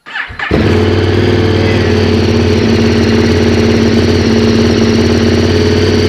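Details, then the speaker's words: KTM 1190 after fuel pump repair; starter catches within half a second and the engine settles into a steady, even idle, with no squeak heard earlier; normal start and idle. "okay Moment of Truth sounds good didn't hear the squeaking like it sounded like"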